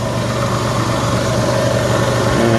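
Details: 2003 Jeep Liberty at idle just after alternator replacement, with the battery light now off: smooth, even idle with a steady low hum and no knocks, ticks or squeals; the engine runs normally and is charging properly.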